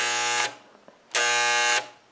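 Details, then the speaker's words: Chicago Electric ~125 A flux-core welder (DC-converted), repaired after burning up, output shorted with needle-nose pliers: two sharp bursts of steady raspy buzz with clean stops; welder working, fan not yet hooked up. "so it's it's working we just gotta get the fan hooked up which is no problem"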